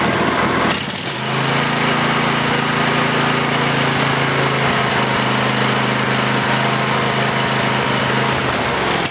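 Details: Briggs and Stratton 20HP V-twin Model 40 after carburetor cleaning and reassembly with solenoid: fires quickly and settles into smooth, even drone at constant speed, no misses or hunting; normal running.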